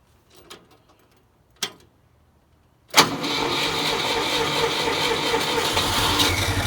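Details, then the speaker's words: Carburetor whose leak was repaired with acid, pop rivets and epoxy, started after turning fuel on: fuel pump clicks, then the engine catches at three seconds and settles into a steady, even run. "you can hear pump and feel now okay it's gonna run now"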